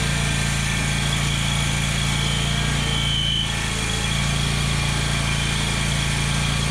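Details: Exmark Lazer Z zero-turn mower, Kohler Command Pro CH740 V-twin, after gasket replacement for an oil leak: steady, even low drone with a regular beat about four per second, no knocks or misses; running cleanly.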